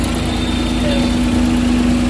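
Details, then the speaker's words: Suzuki Big Eye DA64/DA52W, after an electrical repair for vibration and shut-off at idle with AC on: even, quiet idle with a steady mid-pitched hum, no knocks, surges or stumbles; running smoothly and healthy. "Okay guys, so ayan na guys umandar na unit guys. Tahimik masyado"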